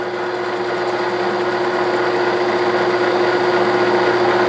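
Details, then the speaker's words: 1967/68 Clausing Colchester lathe turning scrap-bin stock into a threaded button for a hydraulic shaft: steady whine with a regular tick three to four times a second as the tool meets a gap; interrupted cut. "looks like it's cut and cutting right in right on center got a little bit of an interrupted cut you can hear it probably you can see it"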